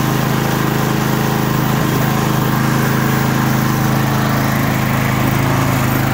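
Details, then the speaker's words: Murray 24-inch rear-engine riding mower, 190cc Briggs & Stratton, after carb clean and fuel tank and line flush for milky, water-contaminated fuel that caused a no-start; small single runs smooth with even exhaust beat, no surging; normal running. "Well, that got us back up and going. Just needed a carb clean, fuel tank, and a line flush."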